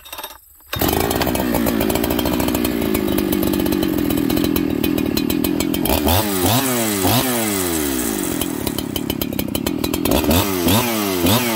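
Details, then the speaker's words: Farmertec 288XP kit chainsaw, first start, idling with the decompression valve stuck open by the top cover: revs up and down in repeated uneven surges when transitioning between jets; fuel starvation from a kinked fuel line. "it's doing some weird throttle up throttle down things when it's transitioning between jets"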